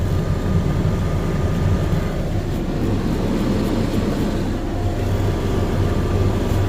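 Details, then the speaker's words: 2012 GMC Terrain after blend door actuator repair, engine running, temperature dial turned between hot and cold: steady engine and blower hum, no ticking behind dash; actuator now quiet, clicking fixed. "It's fixed. No more sound when you try to dial it in."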